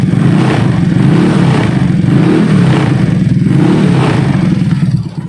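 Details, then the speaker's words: Yamaha Mio scooter, freshly rebuilt engine with modified camshaft, Karisma piston, PKZR con rod and ported intake and exhaust: light, quick throttle blips with a smooth, even exhaust note and no knocks or rattles; revs freely, throttle feels very light, healthy. "Meskipun nokenasnya sudah rubahan, ini suaranya terbilang cukup halus ya. Untuk akselerasi dari gasnya pun ini sangat enteng ya teman-teman."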